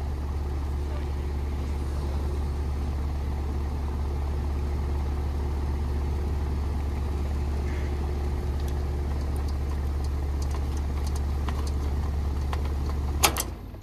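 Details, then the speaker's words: 2013 ICP heat pump called in for freezing up, defrost board replaced last year: a deep steady electrical hum for about 13 s with no run-up, then it cuts out. The compressor tries to start and fails; the capacitor is to be checked, cause unconfirmed. "I just heard the compressor start and then it or tried to start but let's see it may just cuz somebody cycled it on and off so it may take a second"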